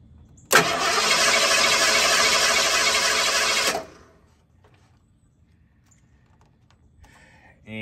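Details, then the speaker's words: 1983 Ford with its original weak separate high-voltage ignition coil, engine warm: starter cranks evenly about three seconds at roughly 200 rpm but never catches. The weak coil gives a thin blue spark instead of a strong yellow-orange one. "hey with the weak coil hooked up let's see what it'll do um the engine is warm so it might um you know it might start okay when the engine is cold the coil will have a hard time starting"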